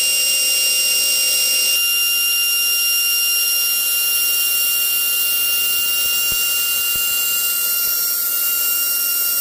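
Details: GMN spindle, 90k in the listing, spinning at full speed with a clean, steady high-pitched whine at constant tone and no grinding or rattle. A normal high-speed spindle run.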